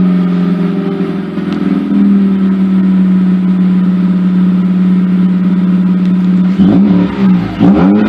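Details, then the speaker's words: Mazda RX-8 rotary after new Black Halo Racing coils, MSD wires and plugs, warming up: steady even idle and clean throttle blips, earlier popping gone. "it's getting close but it does sound smoother to me I don't hear the popping"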